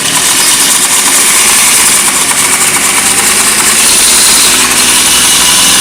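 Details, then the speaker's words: Hyundai Xcent (Grand i10) engine, accessory belt removed to rule out pulleys: bright fast "kat-kat" ticking clatter that grows on acceleration; suspected timing-side noise, possibly timing chain and hydraulic tensioner needing replacement. "अभी देखिए इंजन से एक नॉइज़ आ रहा है, cut cut cut cut करके। एक्सीलरेट।"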